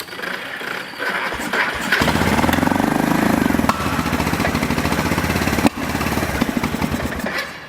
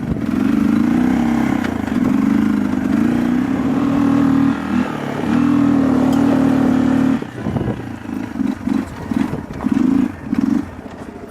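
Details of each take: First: Long-sitting Kawasaki 300 ATV single-cylinder after carburetor work, still needing choke to run and drive: uneven putter that surges and sags, never settling to clean idle; owner suspects tank not venting, a fuel screen, or something in the carburetor — runs only on choke. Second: Kawasaki 300 ATV after carburetor fix, choke fully off: steady even drone under throttle, then choppy off-throttle pulses; idle still needs adjusting, runs and drives smooth — normal running.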